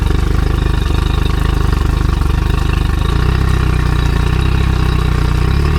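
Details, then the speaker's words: Outboard test run on muffs: steady, even low putter at about three and a half beats a second with no misses, strong telltale. The thermostat is working and the idle is normal. "motor. Yeah, that thermostat's working beautiful."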